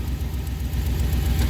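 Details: 2005 one-ton Chevy Express van after new ignition part fitted for a cylinder misfire; smooth, evenly spaced low pulses at steady idle, no skips or stumbles; cylinders firing cleanly, no codes.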